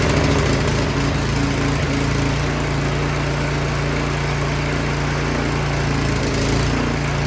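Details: Craftsman 22-inch snowblower after no-start repair and reassembly. The small single-cylinder engine settles into a steady, even buzzing run with no misses; normal running.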